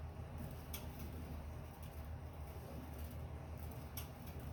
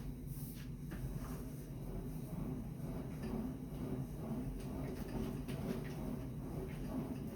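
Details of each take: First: Sunny Cardio Climber SF-E3911 stair climber: sharp clicks about once a second over a low rumble, heard only with weight on the pedals, not when spun freely; owner suspects weight on the pin, clicking from the dry roller rail under load. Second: Sunny SF-E3911 cardio stair climber after repair: low, even rolling rumble with no clicking. The clicking had come from the foot-pad rollers on their metal rails under load and stopped after spraying lubricant on both rails.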